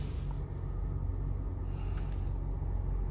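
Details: BMW X5 E70 after fixing a crank-no-start caused by a water-damaged broken part in the engine bay: low, even engine rumble holding steady at idle, no knocks, misses or hunting; engine running normally.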